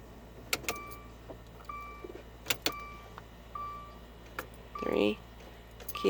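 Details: 2015 Dodge Dart SXT: only dash chimes, soft relay clicks and key rattle on each try, no starter whir; no-crank intermittently, fixed by replacing the faulty neutral safety switch.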